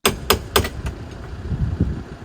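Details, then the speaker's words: 80s 700HP supercar engine that sat 25 years and had been seized, then freed and run. The intermittent starter finally fails: a few sharp clunks and a short burst of cranking, then a dull murmur. The starter was dead and replaced. "Oh, and remember how I mentioned the starter was being intermittent? This is when it decided to pack up."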